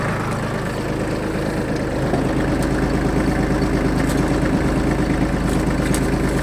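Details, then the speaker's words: Shibaura D215F Japanese mini tractor, 21 hp three-cylinder, 754 engine hours: just started, a steady, even idle with a uniform low beat and no knocks or rattles; runs smoothly with no extraneous noises. "запускается очень легко работает ровно [музыка] иметь или не издает никаких посторонних звуков"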